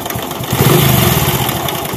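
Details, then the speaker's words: Hero HF Deluxe/Passion Pro bike: short rev of the small single with dry ticking rattle over exhaust; timing chain found tight yet noise persists, so pump support underneath to be opened; chain replacement planned. "इसका time ही tight है लेकिन फिर भी आवाज आ रही है जैसे कि आपने पहले शुरू में देखा था इंडियन से बहुत ज्यादा आवाज आ रही थी"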